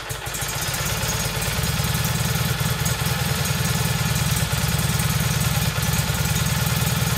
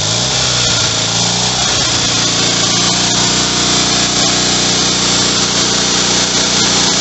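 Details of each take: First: Rebuilt single-cylinder Kohler Magnum M18 from a Cub Cadet 1882, first start in two years on a test stand with a gravity-fed tank, targeting about 1400 rpm: it fires steadily but a bit lazy and uneven; running rich, the carb needs tuning. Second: Rebuilt Kohler Magnum M18 single from a Cub Cadet 1882 on a test stand: fires right up, runs steady and even with hard, buzzy exhaust, no knocks or misses; healthy.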